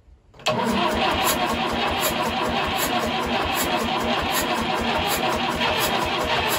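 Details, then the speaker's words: 1950s Fordson Major diesel tractor, first start in about 20 years after bleeding the fuel system, fresh diesel, charged battery and new terminal, a couple of primes, heavy smoke: catches at once and settles into a steady, even knocking clatter with no misfires. A runner. "over she's a runner okay we're happy with that she'll run all right"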